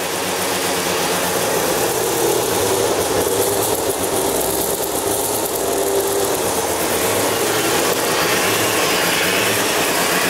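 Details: Mazda FC RX-7 13B rotary on its first start: loud, steady idle with a fast, slightly choppy burble and no knocking or misses; normal, healthy idle.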